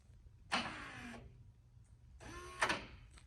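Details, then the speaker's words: 3rd-gen solid-axle 4Runner locker actuator being tested, with truck wiring confirmed fine: two short clean electric whirs as it cycles normally; a different actuator tried in the truck does nothing and is bad. "But you can actually hear it actuating now."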